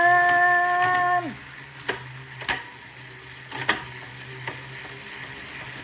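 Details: Prestacycle Uniblock Pro HG 12-speed cassette on a road bike, shifting across the cassette: a few crisp single pops about a second apart over a quiet freewheel, like Shimano 105 with more smack; clean, normal shifting.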